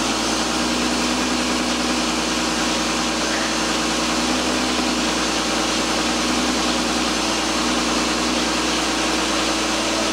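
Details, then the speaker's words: 2001 Volkswagen Jetta GLX idling after bleeding the power steering system; the pump gives a steady low moaning whine because a little air remains in the fluid, which is typical after bleeding. "now when you first heard the pump you could hear it was whining a little moaning sound uh that's going to be typical too there's still a little bit of air in in the system cuz you cannot get absolutely every bit of it out"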